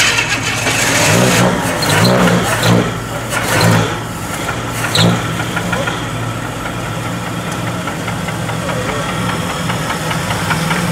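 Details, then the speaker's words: 1963 Chevrolet Impala cold start at dawn, oil a quarter low on the dipstick: rumbling idle with a deep rod knock underneath from a worn rod bearing. "You hear the rod knock? That's a quarter low."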